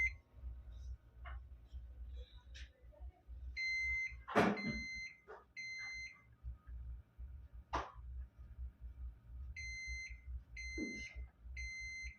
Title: my old model pc #how to repair 3 Times buzzer sound problem